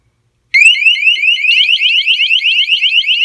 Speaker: Wow, look at that. That guy is really fast. The slightest little water, it goes crazy.